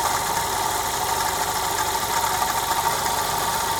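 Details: Audi A1 1.4 TFSI at idle, heard from the engine/coolant expansion tank side after a coolant loss: steady constant mid-pitched hum and hiss, no clear knock; odd noise, cause unknown.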